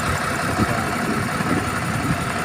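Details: Tadano crane diesel engine, hard starting: runs with a lumpy, uneven beat and irregular stumbles instead of a smooth idle, sounding like it is misfiring.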